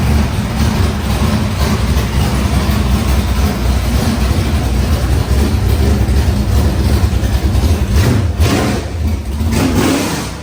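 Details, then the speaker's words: Cold squarebody Chevy truck that also has a battery ground issue. It gives a deep, steady rumble with an even beat and no knocks or misses; running smoothly. "You know, as much issues as this thing causes us, it still sounds good. Sounds good. And I think it's just cold."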